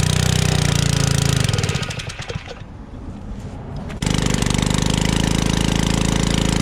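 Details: Generac 01292-2 pressure washer small engine, after carb cleaning: a steady chug falters and sags for a couple of seconds, then recovers; it is starving, not at full power, and nearly stalls, cause unconfirmed.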